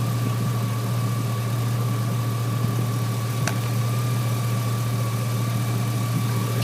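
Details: 2003 GMC Sierra SLE, 4.8L V8, idling with a newly installed junkyard 105 A remanufactured alternator; steady even hum with a faint constant high whine from the charging system; 14.2 V at alternator; normal idle.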